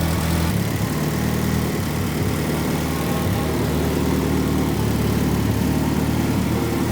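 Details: Freshly built Mitsubishi Evo 9 at first start in a garage, exhaust facing the back wall so it's very loud; fuel pressure about 25–43, mixture leaned out a little: deep, even burble with a steady low throb, no misses or knocks, settling into a clean idle.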